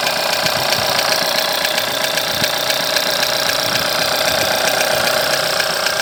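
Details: 1.4 TSI engine at over 170,000 km, timing chain recently changed, no oil consumption: steady idle with a sharp, fairly even tap about four times a second from inside the engine, source unclear; engine knocking at idle.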